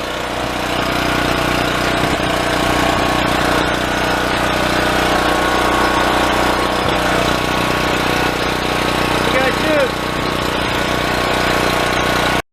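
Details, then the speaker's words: Yamaha EF4600A generator revived after sitting for years: runs unevenly with a loose lumpy beat, then cuts out after about a carburetor bowl of fuel; loose, dripping fuel-line clamp was sucking in air and starving it. "that cow was more the same it'd run about a carburetor Bowl worth of fuel and then it'd quit and I found one of the clamps loose on the fuel line that goes in there but then I put the clamp on it was Dripping I thought maybe it's sucking air in sure enough"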